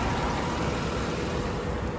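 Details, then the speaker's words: 2010 Chevrolet Avalanche V8, about 130k miles, idling: smooth steady low rumble, not missing, shaking or ticking; healthy idle. "it's not missing it's not shaking it's definitely not ticking"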